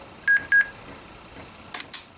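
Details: Dell Inspiron 4000/4100 laptop, Pentium III 1 GHz, BIOS revision A13. Two short high beeps at power-on, then faint clicks, possibly from the optical drive. The boot shows an invalid configuration information error. POST error beep.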